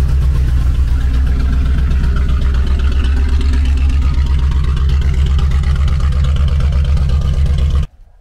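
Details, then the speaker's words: Just-bought Chevrolet Corvette C4 V8 at idle and on blips: a deep, booming burble that stays loud and raw, unmuffled because the rear mufflers are missing. "Tak, jinak proč jsem říkal, že jsem moc neslyšel motor? Oni totiž tady chybí zadní tlumiče."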